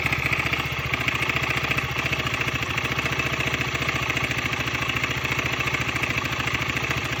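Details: 2015 KTM 125 Duke at 26,000 km, at idle: loud, dull, quick, even clatter on every firing; replacing the timing chain tensioner removed the noise.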